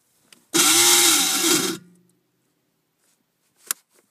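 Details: 2014 Arctic Cat XF 7000 snowmobile (~50–58 km, under a week old) threw code P1338 (crankshaft spike detected) mid-ride and won't start: a second of harsh metallic grinding, starter not engaging the ring gear, no firing.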